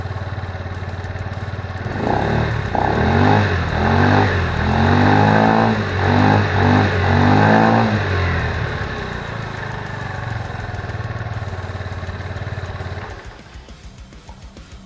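Scooter idles, then revs up and down for several seconds; a raspy, puffing exhaust note fits the leaking welds on the exhaust.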